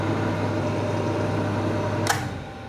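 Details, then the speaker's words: Microkinetics milling machine spindle with a brand-new Marathon motor running, then stopped before trying reverse: steady low hum, even tone, no rubbing or knocking before switching off; spindle working perfectly, normal running. "but we're going to go ahead and look at this see all that working perfectly stop it"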